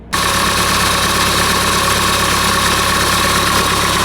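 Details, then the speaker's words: 2008 Honda CR-V 2.2 i-CTDi diesel, after replacing the alternator freewheel clutch (OEM 31141-RBD-E02). An even diesel idle with steady clatter and no high squeal from the drive-belt area: the noise is gone and the engine runs normally. "so you're hear now that the noise disappeared new turning good and everything's okay"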